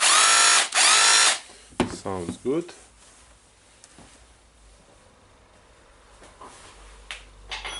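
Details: Makita DHR202 cordless rotary hammer after repair for loss of power, brushes refitted, battery-powered test: a loud, steady, high-pitched motor whir for about a second, then handling clatter. It runs at full power.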